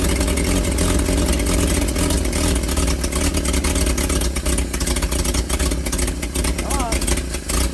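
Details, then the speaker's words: Old carbureted truck engine, not run in 30 years: strong low rumble that revs up and settles back smoothly on choke, no knocks or misses. Oil pressure about 42 psi, nearly 50 revved, little smoke as the rings seat; healthy. "ah he saw it it went up to almost 50 pounds when I revved it up and I just smoked a little bit but it ain't been ran in 30 years so it needs to seal the Rings"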